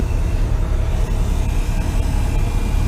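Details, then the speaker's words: Cummins ISX15 truck, engine off, priming after oil change: steady low buzz from the fuel lift (pickup) pump priming normally at key-on. "i don't know if you guys can hear that buzzing down there that is the um high pressure pump uh that is or the pickup pump"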